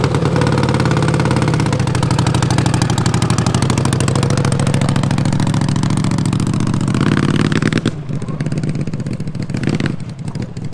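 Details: Twin-cylinder racing mower with rebuilt carbs: rough uneven revving that bogs and drops off; owners about 95% sure coils give too little spark under load, running rich and flooding; new coils planned.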